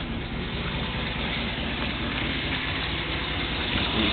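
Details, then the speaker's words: 1994 Chevrolet Silverado 1500 V8 with a new transmission, idling roughly with a dull, uneven engine knock under dense rumble; oil pressure gauge fluctuates, sometimes drops to zero when knock appears, seeming to come from right side; source unknown. "I don't know where sounds like from right here on the right side I'm not quite sure I need to clean this carrier up for sure but I'm not quite sure where it's coming from"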